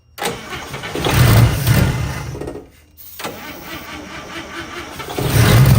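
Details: 1955 Chevy Two-Ten coupe parked 40 years: starter churns in uneven bursts with a brief pause and some pops, never catches; cranks without starting. Owner suspects fuel pump not pumping.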